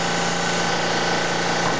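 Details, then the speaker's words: Hybrid steam turbo-electric engine, small steam turbine running at about 1,400 RPM, the slowest speed it will run; steady even whir with a fine rapid pulse and constant hum, no knocks or rubbing: normal low-speed running. "so right there it's running about 1,400 RPM very slow"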